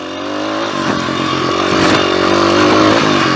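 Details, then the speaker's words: Small single-cylinder pit bike, just roll-started downhill in second gear. The owner suspects too much fuel in the carby. The buzz climbs and settles cleanly through a brief rev, firing steadily with no stumble; it is running properly now. "Just choked it all up. Seems like it's running good now."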